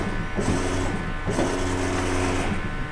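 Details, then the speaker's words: 2020 Toyota Tundra 5.7 that stalls and won't restart once warm: the fuel pump's low hum sags and recovers in pitch after the battery maintainer is unplugged to drop voltage. The pump is suspected failing and drawing heavy current. "so you can hear the difference in the pump now"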